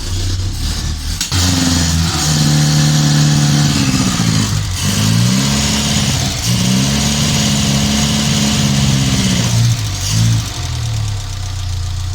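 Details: Morris Minor van that ran when parked, first start attempt, fed from an auxiliary fuel tank and pouring fuel: engine catches and ticks over, pitch rising and settling with throttle blips; normal idle.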